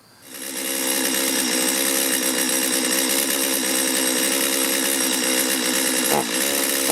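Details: Stihl two-stroke chainsaw before repair, hard to restart after running and bogging on acceleration; high, uneven wavering scream not holding clean revs; running poorly.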